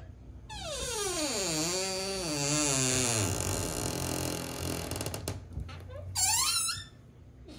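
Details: Squeaky door hinge swinging: loud wavering squeal falling then rising, then a short high chirp; dry hinge needing lubrication, silicone spray recommended.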